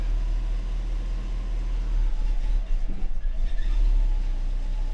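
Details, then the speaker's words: Mercedes W126 560SEC V8 being brought back to life, hard to start, owner suspects fuel issue; check valves being replaced. Idles smooth but heavy low rumble sags and stutters when throttle is pressed, then recovers: hesitation on acceleration. "to put the gas on though she doesn't like that [Music] okay so when I push my pad foot on the pedal pedal pedal she's she's not liking that at all"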